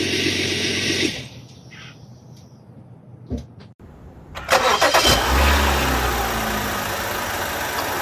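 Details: 2013 BMW X5 35i N55 engine after air filter replacement: starter cranks briefly, catches cleanly and settles into smooth, even idle with no ticks, misfires or whistles.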